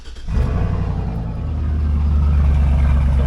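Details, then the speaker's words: 1984 Nissan 300ZX Z31 revived after two years of sitting, with a new exhaust tip that dumps out rather than underneath to reduce cab drone: deep, even rumble swelling smoothly with revs, no popping or misses; normal exhaust. "we got the the new exhaust tip down here it's actually dumping out the exhaust rather than just shooting it into underneath so it doesn't drone as much in the um in the cab here so you don't hear it as bad"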